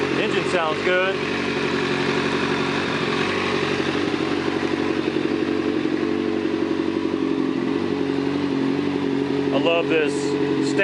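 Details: Kawasaki ZZR 600 four-cylinder with rebuilt replacement engine and 4-into-1 exhaust, first run warming up: smooth, even idle, steady note with no rattles, ticks or hunting; carbs still to be cleaned.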